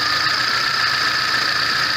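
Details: VAZ 21099 after a burnt valve was replaced; the earlier misfire, shaking and hunting idle are gone: steady, even idle with a constant hiss and no stumbles, compression now equal on all cylinders.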